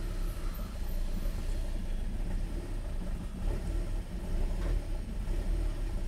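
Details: 2013 BMW 3 Series F30 with N55 engine, after fixing hard start and stalling (codes 1F1A91, 119404), now code 101F01: deep, uneven idle rumble that dips and surges; rough idle, adaptations reset possibly needed.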